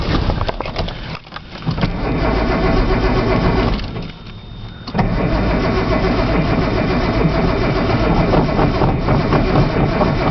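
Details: Nissan Z long crank with no start: the starter churns at about four beats per second with one short pause, and the engine never catches; the cold start valve was found unplugged.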